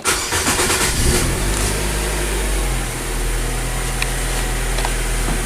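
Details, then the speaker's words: 2014 Nissan Sylphy after misfire repair (P0303, loss of power): petrol engine catches after brief crank and settles into smooth, even idle, misfire gone, check light off; normal start and idle. "we not feeling the misfire like before M fact let's go behind the exhaust to confirm"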